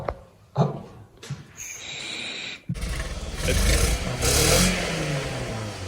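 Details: Scion tC first start after a head gasket job with stripped head-bolt threads repaired, head and cams torqued to spec: engine catches, revs climb and fall smoothly with no knock or rattle, though blowing oil smoke; normal rev response.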